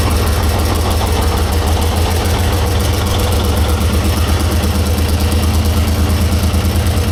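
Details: 1944 Cleveland 3-268A two-stroke diesel after fuel-delivery fix: deep, steady thump at about three beats a second with even firing after two and three picked up; smooth idle on all cylinders.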